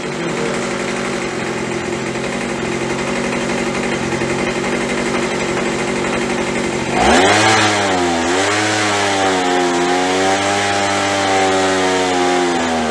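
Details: After carb cleaning, carb kit and trigger modification so throttle fully opens and closes, Craftsman (MTD) B2000 25cc two-stroke blower (had "wont stay running"): high buzz drops, wavers briefly, settles to smooth idle about 2700 rpm (~7400 WOT); fixed, running normally.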